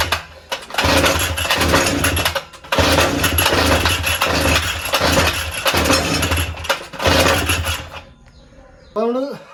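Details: Small two-stroke brush cutter (grass cutter) that won't start, primer bulb pressed, choke on, plug wire and ignition coil checked: repeated rough pull-start bursts that sputter and die between pulls; fires briefly but won't keep running, hard starting.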